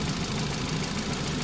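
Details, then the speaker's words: Ford Fiesta Zetec after timing belt and water pump replacement and service, warming up to temperature while coolant bleeds: steady low idle with even churn and no knocks, ticks or squeals; normal idle after repair. "As you can hear, all back together. It runs. I'm just getting it up to temperature now,"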